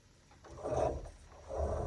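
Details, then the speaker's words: Sliding closet door after raising one side: two slow, rough rasping drags as it still rubs the bottom track, because a screw head has gone through the saddle on the other side too, dropping the door. "So I noticed the door was still scraping even though I had raised one side of the door."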